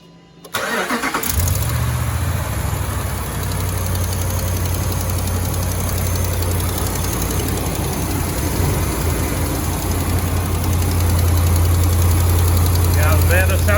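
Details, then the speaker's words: 2016 Ram 1500 5.7L Hemi cold start, exhaust manifolds previously replaced: light quick tick about four per second at idle; driver's side exhaust manifold and studs suspected leaking, need replacement. "the manifold on this side is uh leaking i don't hear anything from this side if i had to guess i would say the man of hold on this side definitely leaking probably hear it better down in the wheel well"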